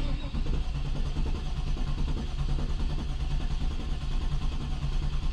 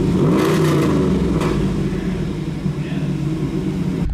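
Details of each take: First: Barn-find 1993 Camaro Z28 on its first crank in 10 years with a fresh battery: smooth, even cranking with even compression, and oil pressure rises, but it never fires. Fuel or OptiSpark ignition is suspected. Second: 1993 Camaro Z28 barn find V8, first start in over 10 years: a quick blip, then a smooth, steady idle with no misses or knocks, good oil pressure and no dash warning lights besides the seat belt.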